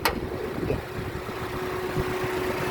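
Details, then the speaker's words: 2014 Daihatsu Xenia 1.3 R Deluxe automatic, 1300cc 4-cylinder petrol, about 139,000 km: steady, even idle with a constant rhythm and no knocks or rattles; engine sounds healthy. "untuk memeriksa kondisi mesin masih bagus kita bisa dengarkan yang pertama ritme suaranya pastikan bahwa ritme suaranya konstan beraturan"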